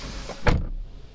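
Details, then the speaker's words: BMW 5 Series after door trim rework for a rattle, heard from the driver's seat: one firm solid door thud dying away cleanly with no buzz or rattle. "有吗？没听见。很安静吗？很好。"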